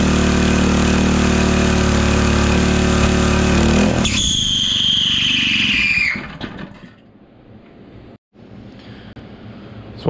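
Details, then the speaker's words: Engine runs steady, then on shutdown a high thin squeal slides down in pitch as it slows; suspected failing one-way bearing, repair postponed. "that squealing we got going on there that sounds like a problem with the one-way barring"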